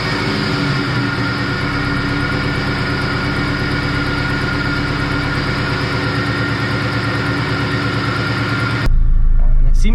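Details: 1990 Honda EF hatch just after a blown head gasket was replaced, radiator still busted and leaking coolant. Steady, even idle at roughly four pulses a second with no knocking or misses before it cuts off; the engine sounds healthy.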